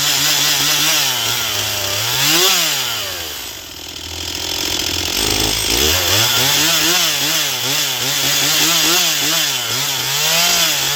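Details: Stihl MS241 C chainsaw with computer-controlled carb, after Seafoam, dull chain: high screaming rev dipping as the chain bites and climbing back cleanly, steady under load; normal full-throttle cutting, starting remains the problem.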